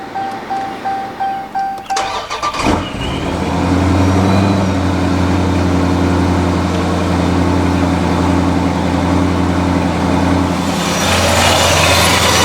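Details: 2015+ Subaru WRX starting after replacing a snapped belt (car got hot after the break); cranks about ten times, longer than expected, catches cleanly and settles to a steady idle hum, no squeal or slap; runs normally.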